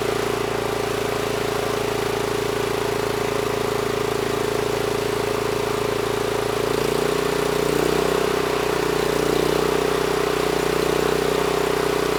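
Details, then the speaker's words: NorthStar 8000 PPG generator with a 13 hp Honda GX390, refueled, governor set screw adjusted to about 61 Hz (target about 61.5 Hz): steady, even constant-speed drone with a clear held tone, no hunting or surging; normal governed running. "so that set screw is pretty much in the right spot you know I just loosened up the nut moved the throttle up against it and that brought us up to 61 Hertz so that was pretty close"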